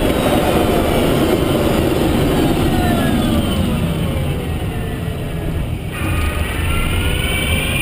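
A thin whine sweeps steadily down in pitch as the car slows, sitting above heavy road and tyre rumble; an abnormal drive-motor whine. Cause suspected, not confirmed.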